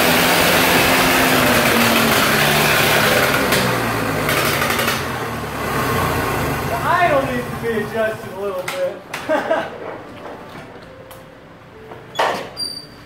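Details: 1948 Lincoln SA-200 welder engine, unfueled for years, running off a rigged-up fuel supply with the carburetor back on: an even, steady run for several seconds with no knocks or misses, then it winds down and stops as the small tank runs out of fuel.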